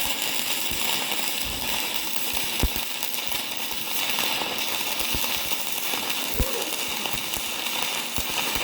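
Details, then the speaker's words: YESWELDER 205DS on 110V, first gasless flux-core beads on DCEN with settings not dialed in: hissy, crackling arc with irregular loud pops and spits, producing excess spatter; switching to DCEP planned. "I've always been taught to use DCEN for flux core, but I didn't like how much spatter it was producing, so I'm going to switch it to DCEP here"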